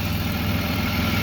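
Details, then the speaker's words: BMW E36 just after fixing a torn ICV-to-intake boot hose that caused a no-start, running catless M3 midpipe: smooth, even low idle with steady throb, no stumbles or hunting; normal idle. "chats are deleted no weird noises put the car on the ground and she's a runner"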